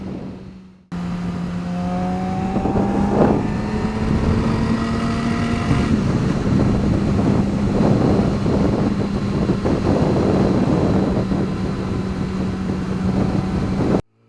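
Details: 2009 Yamaha R6 held at 7,000–8,000 rpm: a buzzy, tinny rattle on the engine note from a loose washer between the crash cage and engine mounts; the noise stopped once it was removed.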